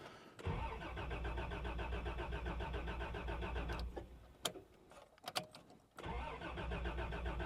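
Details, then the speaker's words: 1989 Toyota Land Cruiser barn find, sat about 8 years, fuel gauge near empty: starter churns steadily, short pause with clicks, more cranking, never fires; oil pressure rising, no fuel pump heard running. "Let's see if it cranks. That's a good sign. It is cranking."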